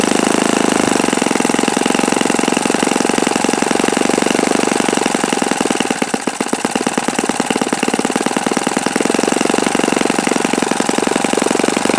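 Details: Repaired OS FS-48 Surpass four-stroke glow engine (blown-out crankcase repaired) on stand, seeking peak RPM on the given prop: high-pitched, steady, strong buzz at high revs, no bearing rumble or grinding; mixture richened after knocking. Normal running.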